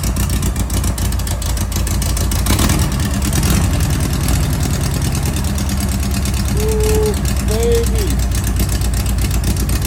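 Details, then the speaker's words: Class 11 race Bug, freshly installed air-cooled flat-four first started at 2 a.m.: fast, even firing at a brisk idle with no misses, knocks or rattles. Normal idle. "It's 2 o'clock in the morning. We finally got it on. Sounds good."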